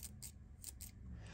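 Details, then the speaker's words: Axial RC crawler shock squeaks sharply on each stroke; it is leaking and has lost oil, so it needs a rebuild. "that's loss of oil so this guy probably needs to be rebuilt"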